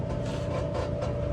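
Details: Whirlpool WED5100HW0 dryer: a low steady rumble with a rough scraping rasp pulsing a few times a second as the drum turns; fixed by replacing the blower.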